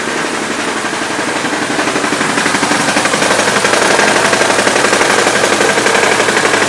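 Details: Daewoo Sens 1.3 engine running under the hood: a loud, fast, even clatter about three times a second. The cause of the knock is unclear.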